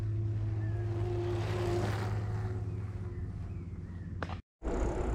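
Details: Mahle X35 hub motor on a Ribble CGR AL e e-bike climbing in a low gear with slow pedalling, the motor doing most of the work: a soft, steady low whir with a faint tone; normal hub motor whir under load.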